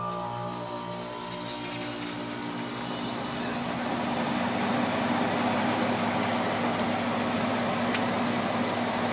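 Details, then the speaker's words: Roughly 3-year-old 5,000 BTU Haier window air conditioner with Qingyan compressor, started on max cool, low fan: fan whooshes up to speed with a fast regular scraping tick about four per second from debris rubbing the fan. "There's some debris in it that's rubbing. That's what that sound is."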